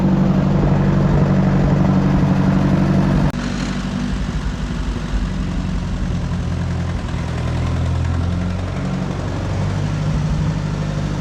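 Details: Oliver 550 tractor, engine fired right up before hydraulic pump replacement: deep, steady low chug settling into an even idle with no misses or knocks; normal idle.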